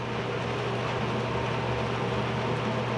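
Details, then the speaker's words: Classic Edge 750 wood boiler at startup after annual cleaning, with the damper fully open. Steady low roar and faint constant hum with no pulsing or popping, and the smoke has turned clear. Normal clean gasification burn. "I hear the rumble and the smoke has turned clear you can I don't know if you can hear the rumble we'll look at the fire here in a bit but the rumble is is basically that fire"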